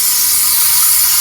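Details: American Standard toilet not filling tank: constant sharp high hiss from a leaking Fluidmaster fill valve cap seal; seal size was wrong, so the whole fill valve assembly was replaced.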